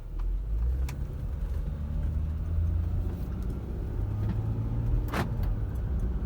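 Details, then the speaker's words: 2009 Ford Flex after sway bar end link replacement, crawling over a rocky path: only a soft low rumble and an odd light tick, the earlier banging and rattling gone; owner still suspects worn struts. "i don't hear that banging like that it was like rattling a hole right here oh yeah that's better way better than it was"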